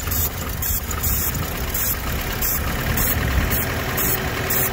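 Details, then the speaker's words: Opel GT engine at its first start after sitting 25 years: a low, slightly lumpy idle with a faint regular tick on top; it seems to run acceptably, a normal idle. "but i'll tell you what that don't sound too bad i think we got a winner"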